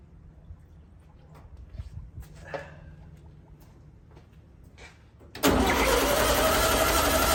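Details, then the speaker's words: 1964 VW Beetle air-cooled engine, cranking after priming with gasoline through a starter that came with the car. The starter churns steadily and the engine never fires. No fuel is reaching it, with the original fuel pump suspect. Cranking, no start. "doesn't sound too happy in there does it and still no gas had some issues with this fuel pump"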